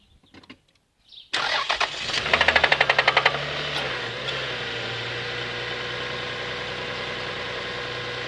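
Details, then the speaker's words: Toyota 1MZ-FE V6 daily driver that began knocking after a roughly 5-hour round trip: after a crank, fast metallic rapping on the rev, settling to a dull, steady tapping at idle. Called rod knock, big-end suspected, under investigation. "Yeah, that's never good. That's called rod knock."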